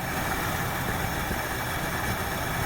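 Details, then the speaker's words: 1968 Ford Fairlane with a flooding carb, steady low idle with an uneven, lumpy beat; running rich and sooted up because the choke heat line from the exhaust manifold was hooked up backwards. "so she's got a mess or two from running way rich for way too long"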